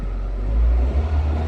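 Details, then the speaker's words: 1997 Honda CR-V after a crank-no-start diagnosis traced to the fuel pump; now running, with a deep, even rumble that swells on a quick throttle blip and settles back without stumbling, running cleanly. "Car is definitely on. So it was a fuel pump, ladies and gentlemen."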